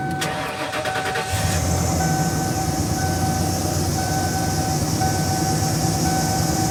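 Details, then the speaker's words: 1997 Ford F-250 with 7.5L 460 V8, fired up after PCV valve and fan clutch replacement: cranks, settles to idle with a thin steady squeal dropping in and out from the worn original belt tensioner assembly, which was then replaced. "so so once i threw this all together my tensioner assembly started squealing real bad and it was original"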